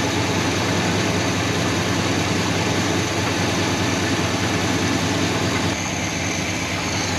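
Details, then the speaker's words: 1969 Buick Wildcat, back running after 26 years, now with a new oil pump and 10W30 oil. The engine ticks over much quieter at a steady, smooth idle with no blow-by; normal idle. "that 10w30 and that new oil pump definitely made a big difference much quieter huh so much quieter"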